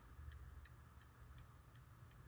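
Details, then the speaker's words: Circa 1820 verge fusee quarter-repeater pocket watch, second, longer replacement balance spring fitted: crisp, even ticks about three per second over a faint low hum; running slow, spring to be shortened iteratively. "The timekeeping is slow. This way I can iteratively shorten the spring to achieve the time that I want."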